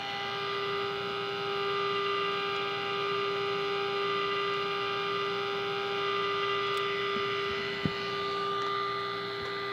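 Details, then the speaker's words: 1946 Sears Silvertone radio model 132.818 after repair of a mis-soldered tube socket, before alignment: mostly steady hum and faint tones with hardly any station; weak reception, tuning trimmer adjustment to follow. "Wow, pretty pathetic sensitivity."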